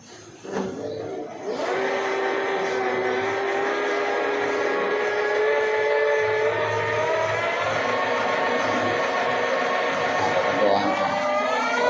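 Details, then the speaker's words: E-bike hub motor after repair of stop-start running and battery charge dropping under load; test run with accelerator, forward and reverse. Spins up to steady even hum with clean whine holding pitch, no cutting out: normal smooth hub motor run. "So okay na guys kung nakita naman ninyo smooth na yung ikot ng kanyang ah motor. Hindi na yung pahinto-hinto nung una."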